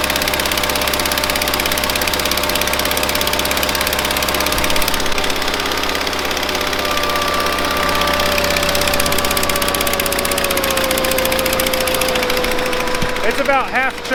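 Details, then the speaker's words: 1970s Bolens QT16 garden tractor, long unused with old gas and gravity-fed fuel to the carburetor: uneven, stumbling idle with wandering pitch, hunting instead of settling; rough running from a dirty carburetor that needs cleaning out. "so that carb needs cleaned out it's not running so great obviously remember this is yeah we're gonna have to clean that carb out for sure"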